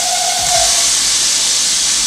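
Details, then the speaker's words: E39 BMW 540i 4.4L V8 running: loud whine/whistle and hiss, mistaken for a pulley or water pump bearing; failed crankcase ventilation valve closed off, so the engine pulls vacuum; vacuum leak whistle. "all right so that's the noise that I was talking about it sounds like what a pulley or maybe the water pump very very typical noises like that that you would you think it's a bearing starting to fail but in fact it's the crank Cas vet"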